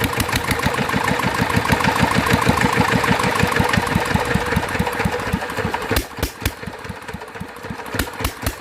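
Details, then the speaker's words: Rebuilt Mitsubishi NM85 single-cylinder diesel, about 40 years old, test run before delivery: an even thump around three beats a second, slightly rough, with oil seeping at the injector; compression likely leaking at the injector seat, injector likely faulty. "เป็นน้ำมันเยิ้มออกนะครับก็ยังมีปัญหาจุดนี้อยู่นะครับแรงอัดน่าจะรั่วออกมานิดหน่อยนะครับ"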